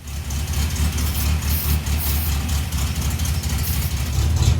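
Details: 1967 Triumph Spitfire Mk II after fuel pump fix and carburetor tuning: a smooth, even, low idle at about 800 rpm with a steady beat and no misses, hunting or knocks. The car previously would not start. Normal idle.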